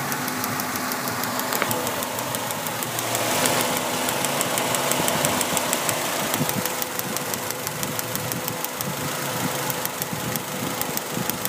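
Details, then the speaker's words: Mazda Protege, warm petrol engine idling after about 20 minutes: light, fairly quick tapping comes and goes; intermittent misfire on cylinder 1 with check-engine light on, coolant had been low. "Yeah, not too bad. That's a misfire."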